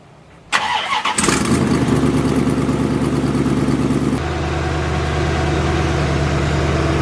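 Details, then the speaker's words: Corvette after the exhaust was finally connected and fixed: quick crank, then the V8 catches and settles into a steady, even idle with a soft, muffled exhaust note, much quieter than before; sounds healthy. "by the way I fixed the exhaust I don't know if you guys are going to be able to tell the difference but might as well turn it on so you can hear it so much quieter"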